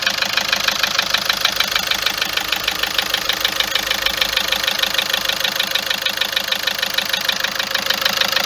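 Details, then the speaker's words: Engine ticking at idle, constant since this morning after a trip to Algeria: steady fast tick about two per second over an even idle, no misfire or vibration. Owner attributes it to injectors and tappets, unconfirmed. "المشكله الصوت هذا دائم، ما ينقص ما ينقص ما والو، يقعد كي من هذا."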